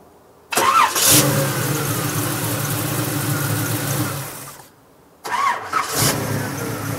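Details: 1939 Ford Deluxe Coupe street rod with Chevy small-block V8 (described as 350, called 327), 350 Turbo automatic: catches cleanly, steady even idle, shuts off, restarts crisply; normal start and idle.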